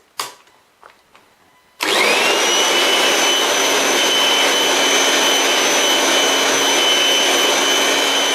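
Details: Kirby G6 vacuum, unserviced for years, after cleaning and reassembly: a few clicks, then the motor starts and rises to a steady high whine with an even rush of air; normal running.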